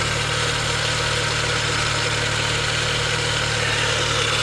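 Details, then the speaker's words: 2003 Mini Cooper S 6-speed supercharged at idle: steady hissing rattle over the low hum from the front of the engine; suspected failing pulley or valve train, source unclear. "she's got good looking tires that sound a little loud up here though don't you i don't know what do you think that is it sounds like we got a pulley or something going out maybe valve train oh i don't know"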